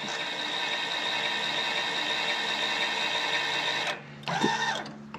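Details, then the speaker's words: Walker zero-turn mower implement-mount linear actuator: harsh buzzing mechanical drone for about four seconds, then it cuts out; not happy, possibly at end of travel. Worn ball screw suspected. "right so i'm saying i just want to make sure it'll wow it's it's not that happy either"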